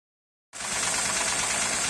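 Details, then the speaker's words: Honda Accord coupe 2008, J35Z engine: smooth quiet idle with a faint light knock under the hiss, seemingly from the rear; source unclear, owner heading to replace timing belt, rollers and tensioner. "непонятный звук. Где-то как будто сзади. Будем разбираться."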